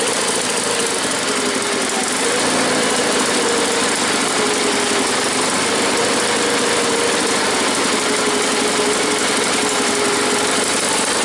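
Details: Cold small engine (tuned like the SS16) gives a loud, busy, uneven wandering idle; won't idle until completely warmed up, cause unconfirmed, still being tuned.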